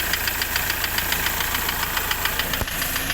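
Sharp metallic knocks about three or four a second, evenly spaced over a steady idle; the engine is knocking, cause not yet known.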